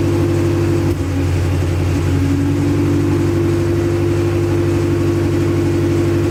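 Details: Acura Integra first start after crank, no-start troubleshooting: runs on its own with a steady low drone and a brief rev near two seconds, even firing, no misses; run only briefly, no coolant in system.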